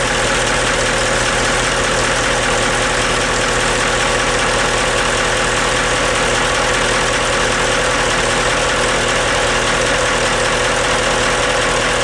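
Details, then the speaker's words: Portofino Cat marine diesel, starboard engine with new starter solenoid, freshwater closed cooling, reconditioned props; pops right off on starting and settles into an even, smooth idle rumble with no misses or knocks. "so uh okay let's start this puppy up you hear how smooth that runs and it just pops right off"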